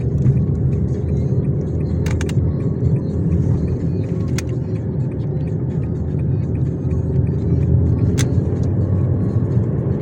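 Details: 2006 Nissan Almera Classic with manual gearbox, driving: steady low drone under road noise that tracks road speed; front left wheel hub bearing hum that came on suddenly overnight.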